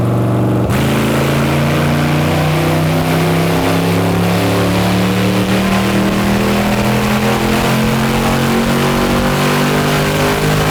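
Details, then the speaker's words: Built all-aluminum Chevrolet LS 5.3 L V8 for a 1999 Porsche 911, full-throttle dyno run at 24° timing, 292 hp: pulls hard with pitch climbing smoothly and steadily, no misses or knocks; strong and healthy. "292 oh man right that's almost 300"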